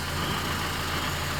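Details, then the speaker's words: Honda CR-V (2007–2011) idling after a fix for radiator fans and AC compressor stuck on; with fans and AC off, the engine gives a steady, even low rumble with no fan roar or compressor clatter, a normal idle. "You see right now the fans are off, the AC is off, everything is fine, no overheating."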